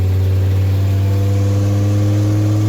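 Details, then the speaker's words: Ford F550 V10 truck, driving: steady low drone with a faint puffing edge from broken exhaust manifold studs leaking exhaust; transmission shifts seem lazy, possibly just the exhaust noise. "Obviously, it's got an exhaust manifold studs broken on the V10. There's no way I could listen to that. I'd have to fix that."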